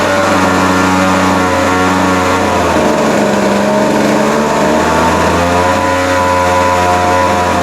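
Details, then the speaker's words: Vintage late-60s/early-70s Montgomery Wards Featherlite 10" two-stroke chainsaw after adjustment, no chain oil yet: steady even buzz with a brief mid-clip sag and clean recovery, chain spinning; normal running. "wow well how about that I mean actually sounds pretty good um yeah it started easy after we got it adjusted that second time"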